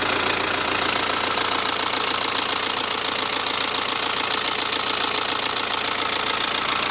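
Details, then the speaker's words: BMW with freshly installed refurbished engine, after initial rough startup and topping up fluids: even, steady idle with crisp uniform valvetrain tick, no misses or knocks, no exhaust smoke; sounds like a new engine. "sweet and you could even say it now sounds like a new engine"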